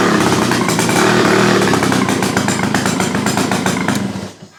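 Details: Victa two-stroke go-kart engine on a test run after restoration: pops along at a steady rev with regular firing, then winds down and shuts off; no misses, running well.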